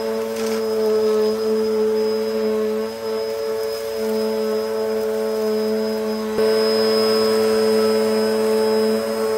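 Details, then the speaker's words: Hoover Hurricane 2000 W bagless Pets upright vacuum running on carpet with the brush bar turning. A steady high motor whine over an even hum with no surging, rattles or scraping; it is powerful and operating normally. "Yeah, you can see why I like this machine so much. It's really powerful. You can hear the brush bar panning the carpet."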